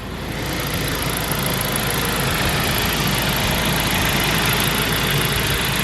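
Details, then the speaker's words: Saab 9-5 with turbo, after PCV system and check valve repair to cure oil consumption of about 1 liter per 100 km, not yet fully warm: steady, even idle with smooth exhaust rumble, no knocks or misses; runs fine, normal idle. "Oh, it says it runs fine. It's very nice actually."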